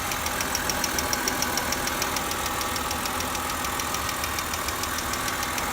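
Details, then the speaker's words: BMW X3 petrol engine at idle before adding Lucas Oil Stabilizer: a really loud, sharp, even lifter ticking of about three to four per second. The ticking is gone after treatment. "I had a really loud ticking noise here it comes this is without"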